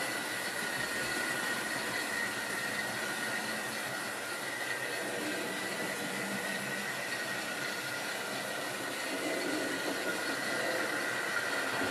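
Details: Wrenn West Country class model loco Lyme Regis, not run since the 80s, after joints greased and reassembly: light, steady whir with faint high hum, no catches or grinding; motor runs smooth and even.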